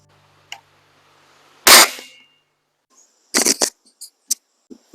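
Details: Webley Eclipse spring air rifle firing before de-buzzing tune: one sharp shot with a rattling, buzzing ring dying away in about half a second, a buzzy mainspring.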